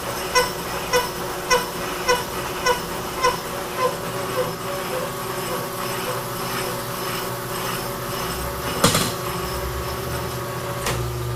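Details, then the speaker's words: Cutting on an old helical drive attachment being refurbished: a steady tick about twice a second under the cut, fading out, like hitting a hard spot once per revolution. Suspected to be how the tool comes over the top, insert not broken but maybe a little dull. "sounds like a pretty hard spot in there let's see yeah i think it's just the way it come come over the top of that inserts not broken maybe a little dull"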